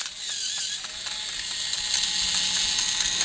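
Fast, bright ratcheting clicks about four per second over a thin motor whir; the toy train's slip clutch is letting go as designed.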